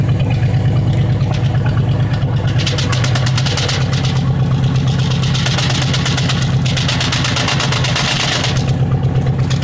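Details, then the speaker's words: El Camino V8 idling, heard at the exhaust: uneven, loping chuff about three times a second, plus rough idle, raw gas smell and poor mileage around 5 MPG; not an exhaust leak or timing, said to be a burned exhaust valve. "That's a burned exhaust valve, guys."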